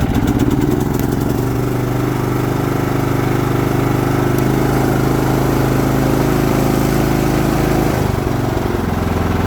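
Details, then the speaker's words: Troy-Bilt TB42 riding lawn mower, single-cylinder engine, after repair with a new ignition switch and new battery: runs steady and even, then drops smoothly as throttled down before shutdown; healthy normal running. "Throttle down. Sounds good. Shut it down. Awesome, that is exciting."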